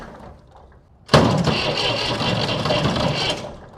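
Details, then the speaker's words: Massey Ferguson 135 diesel tractor (tractor #2) spins over on the starter a few seconds without firing; cracked injector lines show no diesel arriving, fuel problem suspected, not confirmed. "Nothing. I should have diesel coming out of there."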